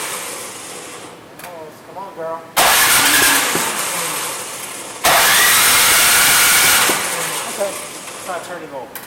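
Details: Troy-Bilt 26-inch two-stage snow blower that does not run, before the carburetor repair: repeated rough pull-cord cranking with a few coughs, but it never catches; no-start, cause not yet confirmed.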